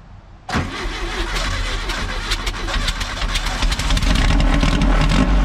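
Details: VW Baja Bug revived after sitting, with the sticky throttle cable lubed and the choke adjusted: cranks briefly, catches at once and settles into a steady, even idle with no misses or knocks; a healthy start.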